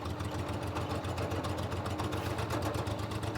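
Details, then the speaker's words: 1988 Daihatsu Hijet mini truck after sitting 2 years, held just off idle by foot: uneven, stumbling putter about four beats a second, stalls without throttle, backfired earlier. Owner suspects a gummed-up carburetor. "the carburetor is got to be gummed up if I take my foot off I think it's going to go this time if I take my foot off the fuel it'll die"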